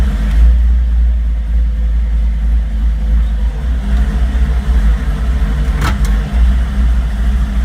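Low, uneven idle with a lumpy, wavering beat and a brief rev near the end; engine running rough, cause not clear. Cause suspected, not confirmed.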